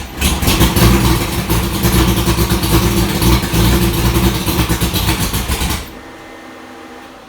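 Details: 1965 Ford Falcon race car V8 with tight headers, valve covers off, newly wired and starting up: fires and holds a loud, choppy idle with a steady lope for about six seconds, then cuts off; starting and running fine.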